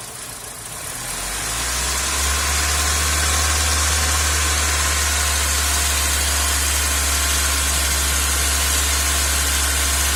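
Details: 2001 Hyundai Accent 1.3L G4EA petrol engine, rough idle but fine cruising: low, slightly uneven pulse under a steady airy hiss while vacuum is measured at the purge valve hose.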